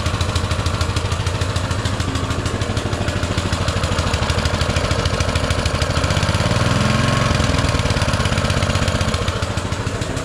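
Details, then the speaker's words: Baja Motorsports Baja Warrior mini bike, single-cylinder with small Japanese-made carburetor, just started: a fast, uneven idle of about three pulses a second that never settles, too high on choke; the owner fears taking the choke off will make it rev higher. "that runs good it's idled way too high cuz when you try to take the choke off I'm scared it's going to go too high and do something stupid"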